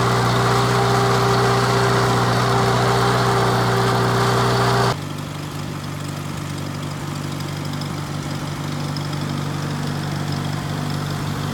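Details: 1949 Farmall Cub: a steady, even idle with a low hum and no knocks or misses, then settling quieter. Normal idle.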